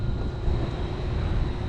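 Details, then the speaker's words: Rooftop HVAC unit with a kinked suction line on the other circuit: heavy low straining hum with no clean run-up; compressor sounds bad, started one time but failed to start another; hard start. "oh that time it started the other time it did not start"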